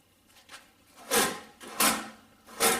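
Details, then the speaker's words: Jegs creeper-seat combo drawer worked back and forth: rough gritty scraping through each stroke from sand still left in the ball-bearing slides. "but uh hear that so there's still some more sand in there"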